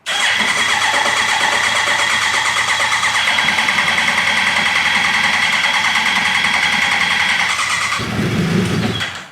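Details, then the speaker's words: Motorcycle engine for a formula car rebuild, long-sitting, freshly fuelled with FI light still on: starter whirs about eight seconds with a high whine before it catches briefly; it later runs on its own fuel but has a big coolant leak. "I can hear it priming, too. Sounding better and better as it runs."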